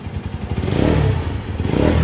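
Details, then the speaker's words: Engine after an overhaul with a new crankshaft, test run: revs up and eases back twice with a smooth even exhaust note; the earlier knocking is gone, quiet and healthy. "Okay na sir, tahimik na, wala na yung knocking."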